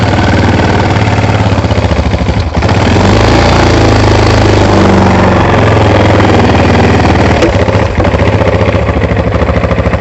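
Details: ATV after carburetor cleaning for bad gas, during idle adjustment: small single runs loud and fairly even with a steady chuffing beat around idle, no misses; running properly.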